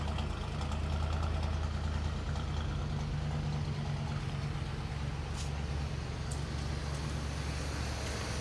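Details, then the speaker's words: 1980 GMC K20 square body V8, sitting since about 2014, restarted after filling the carburetor bowl: smooth, even low burble holding steady with no miss, tick or knock; oil pressure pegged; normal idle. "So smooth. How's our oil pressure? Pegged. She sounds awesome. Holy cow."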